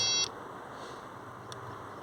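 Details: Skoda Octavia being diagnosed for overheating while the temperature sensor circuit is tested with resistances and voltages. One short high electronic beep, then faint cabin hum; dashboard warning chime, cause not pinned down.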